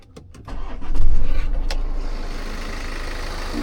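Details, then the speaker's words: BMW F10 518d B47 diesel after turbo replacement and correctly refitted clamp fixing the boost leak: cranks briefly, catches cleanly and settles into a steady, even idle with no hiss or flutter; no boost or oil leaks. "There we go. The engine sounds normal. I'll even go up with, I'll show you close up. So yeah, there's no more boost leak, no oil leaks, nothing. And yeah, the engine runs solid now."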